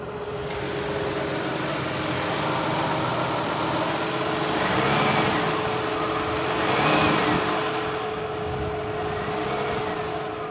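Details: 2003 Mazda Tribute V6 at idle, old coil refitted and plug cleaned, AC possibly on: uneven idle with irregular surges from a cylinder misfire; leaking valve covers letting coils arc are blamed.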